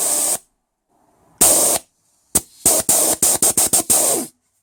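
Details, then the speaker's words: 1996 LandCruiser 80 series 4.5 petrol, A442F automatic, number 2 shift solenoid, the suspected fault, bench air tested at about 10.5 V; about four crisp on-off air pulses a second and it seems okay. It may only fail when warm. "That one seems to be working okay too."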